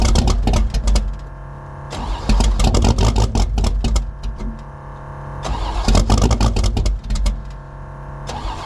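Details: Drag Mustang V8 cold start at about 20 degrees, no choke, oversized Pro Systems 878 CFM carburetor, electric water pump left off to warm up; slow uneven cranking drags on before it finally fires; hard cold start, extended cranking.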